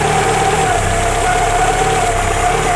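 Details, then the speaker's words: Carburetted engine restarted after a coolant purge, idle adjusted by ear with no tachometer; breather blowing hard and a belt-like noise are concerns. Steady, even idle with a constant hum, no hunting or misses. The idle sounds properly set. "il marche bien ce moteur donc un carbu qui n'a pas raison on dit que le carburateur je suis là ça va il marche très bien"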